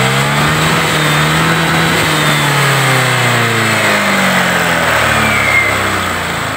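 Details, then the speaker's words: Honda Vario 125 New scooter after fixing rough "tek tek" noise at idle and throttle-off by adding about 2 mm brass weld to the cam chain tensioner lifter tip: smooth note rising and falling with throttle, no cam chain tapping; normal. "baik temen-temen sudah berhasil hasilnya normal Ya seperti baru lagi"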